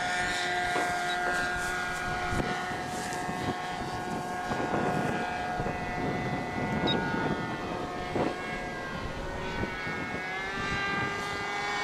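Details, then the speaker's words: RC plane back flying after crash landing, buzzing motor drone rising and falling with passes plus odd rough tone; owner suspects imbalance from a missing piece of plastic. "Because a little piece of plastic is missing. It might be unbalanced. Maybe. Yeah, that sounds weird."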